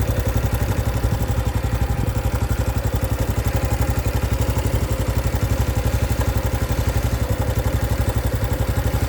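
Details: 2025 Honda Biz: a new engine noise appeared after riding under 70 km/h. Fast, steady clatter near four per second over a low, busy idle hum; mechanical engine rattle, cause not yet pinned down.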